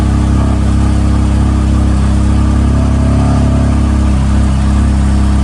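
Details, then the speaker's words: BMW M4 S55 after tappet cover replacement to fix PCV whistle: steady, even fast cold-start idle with no whistle or ticking; a drivetrain error fault appeared moments later. "car actually sounded fine on cold start, but a few moments later we received the most famous fault on BMWs, which is drivetrain error."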